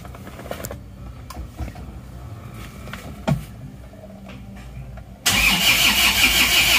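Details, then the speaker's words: Isuzu Panther diesel just rebuilt (one liner replaced, piston rings, gaskets, fresh oil), first start: quiet until the starter catches, fires at once and settles into a steady, even run without hunting; normal start. "stabil Ya sudah langsung stabil jadi start awal stabil tidak goyang"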